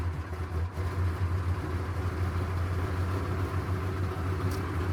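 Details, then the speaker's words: 6.2 Detroit diesel, cold and smoking, held at high idle with a pedal-mounted manual throttle: deep, steady rumble at raised speed with no misses or knocks; healthy high idle for warm-up. "There's my high idle. Now that'll get this thing to warm up as fast as I need it to warm up."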